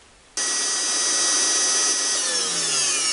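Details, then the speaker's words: Vacuum cleaner after repairing its damaged power cable: motor switches on and holds a steady high whine for three seconds without cutting out; runs normally, though whether the cable was the cause is not yet confirmed. "Ovo isto sad ne prekida, ali ne znamo da li je to bilo uzrok ili nije."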